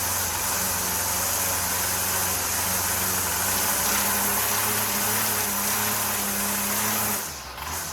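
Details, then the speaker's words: Two-stroke weed whacker after carburetor and fuel line replacement: buzzy idle wavers unevenly and pitch sags, running a little rough because it was flooded; the earlier fault was air in the fuel system. "That was the issue. I mean, it's idling a little rough, but I flooded it up."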